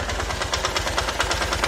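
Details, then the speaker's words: Honda Titan 150 top-end ticking, about seven or eight sharp even taps a second from the cylinder head, occurring when loaded in first gear. The engine earlier ran with the oil pump not delivering oil to the top end. The piston was replaced, but the noise persists. "Deixa eu ligar ela de novo aqui. Ela fica um tec-tec enjoado."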